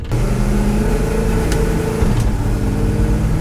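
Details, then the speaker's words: Dodge Coronet giveaway car with new transmission on a road drive: engine pulls smoothly with a clean pitch drop at each upshift, then cruises evenly; automatic transmission shifting normally. "shifts cruises right down the old road"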